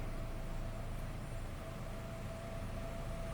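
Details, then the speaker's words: 1999 Chevrolet Cavalier Z24 convertible, 39,953 miles, stock exhaust, heard from the rear: low, steady exhaust burble at even idle with no misses, popping or rasp; normal idle exhaust. "with that exhaust. Let's see what uh a 1999 stock Cavalere should sound like."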